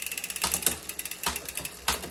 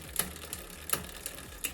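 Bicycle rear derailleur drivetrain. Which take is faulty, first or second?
second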